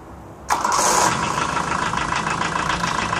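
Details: Engine catches after short crank, then idles with uneven stumbling pulse about four beats a second, with blue smoke — rough idle on cold start.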